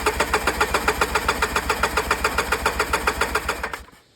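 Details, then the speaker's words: Polaris Sportsman 700 quad on a cheap Amazon aftermarket carburetor: slow chugging beat near four a second that fades and dies within seconds; poor, unsustained running blamed on the junk carburetor. "It's a cheap Amazon special carburetor. Nothing special about it, but it doesn't run worth a crap."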